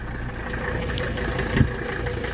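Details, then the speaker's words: 1983 Mercedes 300D diesel, cold start just out of the shop after the glow plugs: it fires quickly and settles into a smooth, even idle with a steady low rumble, soft clatter, no misses or knocks, and perfect idle rpm. "And guys, that's a cold engine. See, I literally just pulled it out of the shop. See how quick it fired up? Perfect idle RPM."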